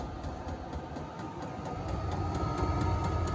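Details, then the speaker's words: VEVOR diesel heater on first test run in a tool trailer: regular ticking about four a second over a growing combustion rumble; burner has fired but no hot air yet; current draw settles around 1 A; normal ignition. "Sounds like it's fired. But no hot air yet."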